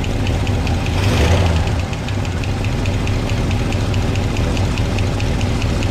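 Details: 1962 Chevrolet C10 V8 (possibly a 350), warm, valve covers off during valve adjustment: even rapid light ticking over a steady idle; one backed-off rocker not getting oil yet clatters.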